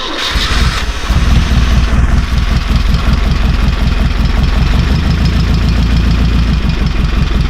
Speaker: I need to mention what a quiet engine this is. It's from the 1960s.